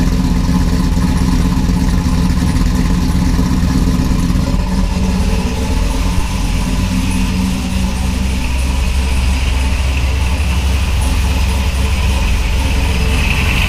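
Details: Supercharged (ProCharger) 4th-gen Camaro V8, first start after front-mount intercooler install and fresh oil and filter: deep, steady, lumpy V8 idle with faint supercharger whir, no knocks or misses.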